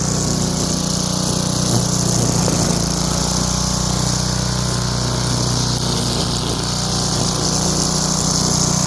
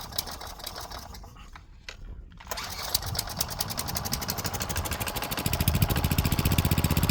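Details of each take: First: Craftsman wheeled two-stroke weed trimmer after new spark plug, carb cleaning and fresh gas, choke off, cutting weeds: steady buzzy drone holding even speed under load, no misses or surging; running normally. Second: Craftsman wheeled weed wacker, found dirty, missing its spark plug and sat for an unknown time; it catches after a pause and runs ragged only on ether. Suspected dirty carb with old fuel and gunk; jets and fuel pickup may need clearing.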